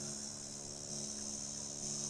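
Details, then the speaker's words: Old Sony music system with added USB/Bluetooth/FM module fed at 10 V: low steady mains buzz with faint hiss, no music, before adding an earth wire; ground-loop hum, cured by grounding the module. "ये number change हो रहे हैं, झूं झूं की आवाज़ आ रही है। अभी देखिए, देखते हैं कितना फ़र्क पड़ता है अर्थिंग लगाने से।"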